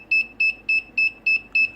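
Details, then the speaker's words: Wireless sensor network sink node powered alone: short high buzzer beeps about every 0.3 s repeating until it finds another node; no-connection alert. "yeah this is what the signal to do if it doesn't see any other node at all it will keep doing this over and over until it finally catches a note"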